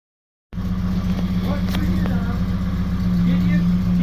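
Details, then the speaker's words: Morris Marina restoration car, first start after fitting a different distributor set by guesswork and adding fuel: catches at once, steady even low hum with firm beat, no stumble; runs fine. "so yeah that was a success I wasn't expecting to be that successful but um it just started and it Ru um it wanted to run"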